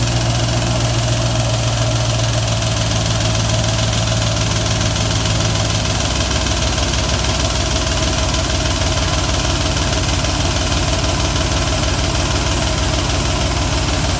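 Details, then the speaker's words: 1995 BMW E38 740i M60B40 V8, first start after replacing the timing chain tensioner without priming it with oil: rapid metallic clatter over idle that settles after about six seconds as the tensioner fills with oil. "sounds like the tensioner filling up with oil and we're good"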